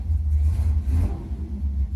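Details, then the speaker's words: C10 truck small-block V8, possibly a 283, with new oversized Maxpeedingrods Quadrajet carburetor: deep even rumble with quick throttle blips, no stumble or hesitation; takes throttle well, timing may need adjustment. "it seems to take throttle pretty good for what it is"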